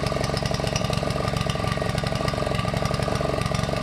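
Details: Honda GV150 single-cylinder engine after rebuild, choke partly on, idle not yet adjusted: quick but uneven, stumbling firing; owner suspects ignition fault or coil, spark plug not changed, possibly fuel filter; uneven running, unconfirmed.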